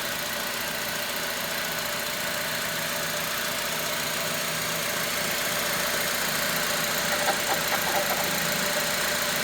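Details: 2006 Honda Element at idle: hissy idle with a light rhythmic knock or tick about two per second, holding steady; owner suspects the timing chain tensioner, not confirmed.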